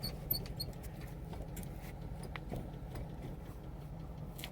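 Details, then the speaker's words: Chevy Trailblazer driving: heavy, steady low rumble with faint ticks and rattles. Owner attributes it to bad wheel bearings. Cause suspected, not confirmed. "and my tire, my bearings, is messed up. That's what it does. Pretty bad."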